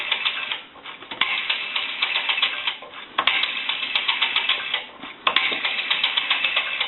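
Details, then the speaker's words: AE 3-slot payphone rotary dial returning with irregular light clicking in short runs, dragging as if trying to hang up instead of ticking back evenly; dial has resistance and needs cleaning, oiling and adjustment. "I can see that the rotary needs to be cleaned oiled and adjusted it's got some resistance in it and you can hear like it wants to try to hang up"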